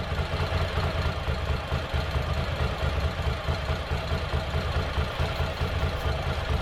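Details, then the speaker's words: Ducati Monster 800 revived after four years dormant with new fuel pump and battery, injectors flushed: second cylinder slowly kicks in, giving deep even V-twin idle, both cylinders firing, no misses or knocks; normal idle. "So slowly the other cylinder kicks in. And the engine changes sound. And it sounds a lot better."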